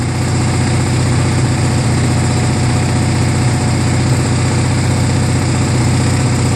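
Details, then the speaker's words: Murray Ultra garden tractor opposed twin, which ran rough and backfired, after magneto replacement and two new spark plugs, at slow throttle: a steady, even low putter, no misses or stumbles; smooth, healthy idle. "got two new spark plugs in there I'm going to give it a try oo much better that sounds much better"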